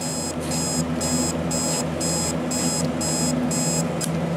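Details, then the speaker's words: Vintage alarm clock with dirty switches; even bursts of high beeping about every two-thirds of a second over a low hum, quite faint; owner suspects the price sticker covering the beeper muffles it; quiet alarm beep. "whether you can hear it it's not all that loud but I think that the reason is known all that loud is because the beeper is being covered up by the price sticker"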